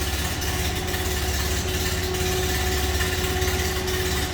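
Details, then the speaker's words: 1930 Ford Model A Tudor sedan in neutral, heard from the rear: steady even low idle with soft regular beat, no knocks or ticks; sounds as a Model A should, normal. "Slip around to the back so you hear it run. Sounds like you expect Model A to."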